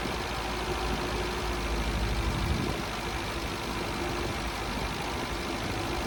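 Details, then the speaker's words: Long-unused Scamp started with a boost pack on its weak battery; quiet, fairly even petrol idle with a soft low throb and light background hiss, keeps running. Owner suspects it may need a new coil and spark plugs. "he finally a little bit of success uh yeah just needed the Boost pack on there just to then it just sparked into life"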